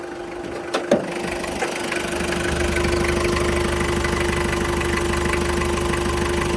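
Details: Toyota Qualis diesel at 2,000 km first service after engine rebuild, injector nozzles cleaned to cure black smoke: after a couple of clicks it settles into a smooth, even idle with light clatter, no missing; slight white smoke expected initially.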